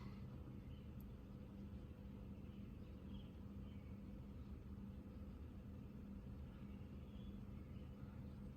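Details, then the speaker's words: 2014 Toyota Corolla LE, 1.8 2ZR-FE, in for rough idle, no throttle response and code P2118. At start-up before the test drive it idles a little high, then settles as a quiet, steady, smooth hum. "A little bit of high idle. I was told that you have to drive it for like 15 minutes, stop and go traffic. Well, it is coming down now."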